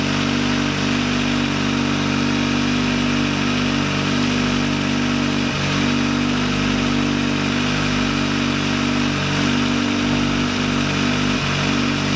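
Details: VW Lupo 1.8T with GT30 turbo, first start after engine damage and rebuild (H-beam rods, new bearings, 2 mm thick head gasket): smooth, even idle with a steady low hum, no knocks, ticks or misses; runs very well.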